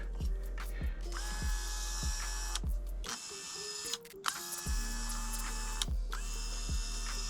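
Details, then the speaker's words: Replacement power window motor (window regulator) for a 1989 Toyota Van, bench-tested out of the box: whirring in bursts up and down with faint ticking each pass. Noisy but not as bad as the original driver's-side 1989 motor. "Not nearly as bad as the driver's side. That's the original that came with Luna, the 1989 motor."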